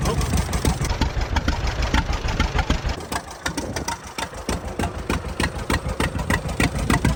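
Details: 83-year-old John Deere B sitting 20 years with stuck engine, first start after freeing it, oil pressure up, fuel on, no cooling system; slow lopey two-cylinder putt-putt, steady beat, no misses; it runs.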